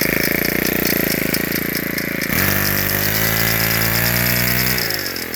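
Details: Ryobi S430 4-cycle trimmer buzzing unevenly, then revving with a sharp, light clicking ticking along over the engine note; cause unknown.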